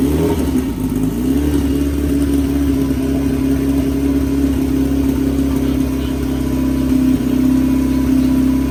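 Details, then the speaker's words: Big-turbo Honda F20B EG hatch freshly started after new TPS calibrated, throttle body and intercooler pipe refitted; steady even drone with firm low hum held up in revs, no knocks or misses; sounds good, normal running. "You've seen the hatches running, sounds good."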